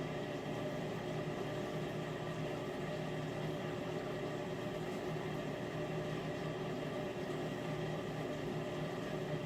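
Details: Miele dishwasher during wash cycle: loud steady low hum with buzzing edge while circulating water; owner suspects circulation pump or its motor, not certain.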